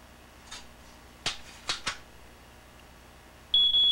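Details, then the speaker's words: Device made in 1979 beeping constantly even with fresh batteries: soft clicks then a loud shrill beep near 3.5 kHz for about half a second; owner suspects it is broken. "Fresh batteries or not, it beeps all the time. That's why you always hear it beeping."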